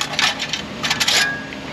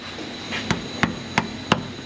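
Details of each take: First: Exhaust heat shield on a lift, engine off, shaken by hand: tinny metallic rattling in short bursts because its broken clamp band has come apart. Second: Toyota Highlander exhaust tapped after repair (loose heat shield repaired, rear muffler shield replaced, rubber hangers reinstalled): four sharp taps dying out cleanly, no buzz or tinny rattle; heat shield tight, no exhaust rattle.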